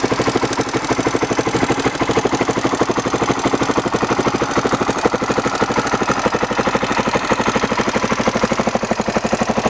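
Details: Honda XR600R single-cylinder at idle: steady light ticking about three per second keeping pace with engine speed; source not identified.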